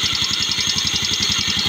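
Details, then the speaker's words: Yamaha Mio Sporty scooter idling: fast, steady metallic ticking about a dozen a second; rattling starter bendix one-way clutch with a weak, loose spring and a lost bearing, engine hard to start. "Yung kanyang vindex yung isang spring ng vindex niya Mahina na na alog-alog"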